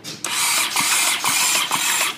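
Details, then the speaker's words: Honda CX500 donor engine just mounted in the frame, ignition jumped, battery at about 8 volts. High whirring starter spin pulsing with each compression; the engine turns over freely with spark present but doesn't fire. Normal starter cranking. "it turns over the starters turning"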